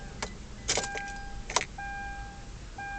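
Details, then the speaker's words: 2011 Kia Sorento no-start: the key brings clicks and a repeating warning chime, but there is no starter whirr and the engine does not turn; it finally started after about 7-8 tries. "Here we go again, my car's not starting. Nothing."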